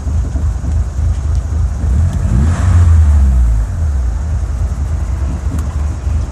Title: 4g64 converted to 4g63 rough idle